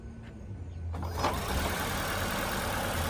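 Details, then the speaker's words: 2017 Ford C-Max hybrid just after its HF35 transmission was replaced; the old unit squealed and skipped. It starts quiet, then a soft, even low hum with no whine, clunk or grind. The slight transmission noise is normal; the car runs and drives well after a test drive. "Nice and quiet. So now the transmission hear it a little bit, but that's the normal noise."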